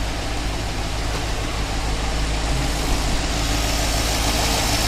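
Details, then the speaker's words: GMC Yukon V8 with baby cam, first start after DoD delete, no antifreeze yet, untuned: deep, steady idle with even low rumble, no knocks or misses; healthy. "you can stop tapping now counters back there tapping sounds good she sounds very good"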